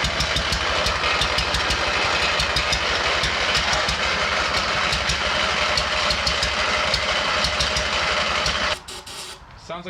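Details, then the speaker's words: Abandoned MTD mower twin engine started on ether before replacing fuel line: lumpy, loping beat with missing pulses, firing on only one cylinder before cutting out; head gasket found leaking on that side. "firing on only one cylinder do that again spray some [ __ ] in there again"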